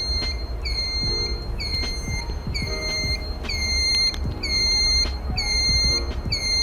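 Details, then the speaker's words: Sousa electric bike with scooter motor: loud high reversing-truck-style beeps about once a second when the turn signal is switched on; normal turn signal buzzer working as designed. "Que quando você aciona a seta, ela faz um barulho parecendo uma carreta quando dá ré."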